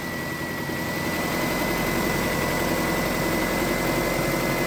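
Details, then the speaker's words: Toyota Camry idling after repair: even, steady idle with a faint high whine over a smooth hum, rattle gone; the rattle was caused by the crankshaft timing pulley, whose keyway had worn clearance, not the idler. ">> I don't either. It sounds like regular engine stuff now."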